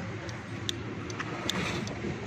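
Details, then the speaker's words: Suzuki Mehran with the headlights turned on from inside the car: a faulty headlight relay chatters with dry ticks, two or three a second, over a low hum. It is linked to headlights cutting out while driving. "टिक टिक की आवाज़ आ रही है। ये देखेंगे कौन सी relay आवाज़ कर रही है।"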